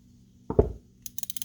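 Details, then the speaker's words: Vintage Penn Long Beach Live Bait Caster 259 reel during service reassembly, dog and dog spring refitted: handling thump then six crisp, evenly spaced ticks as the spool turns; click dog working properly, normal reel click. "And that's what it should sound like. You should have that dog clicking real good in there."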